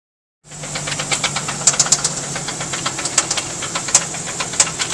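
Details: 1990 Nissan 300ZX Z32 naturally aspirated, blown engine: a sharp, regular knock taps several times a second over a hissy idle, rod knock in cylinder 4; twin-turbo swap planned.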